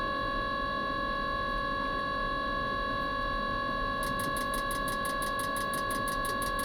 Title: Mikuni heater wont start?